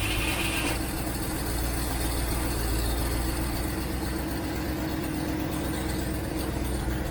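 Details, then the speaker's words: 1967 Mustang unstarted for months, carbureted, choke on, in park, on jump box: fuel pump working but float bowl likely empty; steady starter cranking goes on without catching; crank-no-start from fuel starvation. "I doubt there's any fuel in the float bowl, but let's see what happens."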